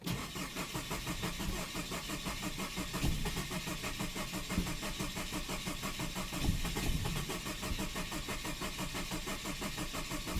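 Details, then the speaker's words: Saab 9-5 cranks but won't start: starter cranks evenly about three beats per second for ten seconds with sputters, unburned-gas smell at tailpipe so fuel isn't igniting; throttle position reads about 20% at rest, bad angle sensor noted. "happens and it spits exhaust at the tailpipe which smells like unbar unburned gas so apparently it doesn't ignite uh but as you can hear it's it's it's sputters or whatever it's called Uh but yeah refuses to start up"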